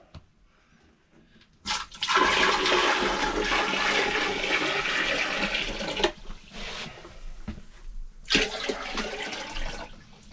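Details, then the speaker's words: Boat marine WC flush test on a boat's new plumbing, first trial with plain water, no paper: a loud whirring pump with rushing water for about four seconds, then short bursts as the bowl clears. Noisy but working normally. "c'est un peu bruyant comme histoire c'est sûr que c'est pas très discret mais ça marche plutôt pas mal"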